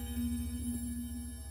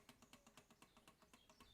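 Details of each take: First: Post-WWII German clock, mostly aluminium: a single gong rod of the striking mechanism is struck and rings out with a clear, steady mid tone and bright overtones that fade slowly. The rods are tuned like piano strings, and the chime sounds normal. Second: Clock movement during gear-depthing adjustment: quick, even ticking with a slightly rough, dragging edge to each beat. The mesh is improved after adjustment but still too deep.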